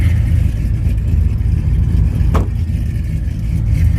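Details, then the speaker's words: Ram with a 5.7 HEMI, cammed and modified, at idle: deep, choppy, uneven lope with heavy low rumble from the aggressive aftermarket camshaft, not a fault. "And as you can hear, this Ram, the Ram is cammed and everything else."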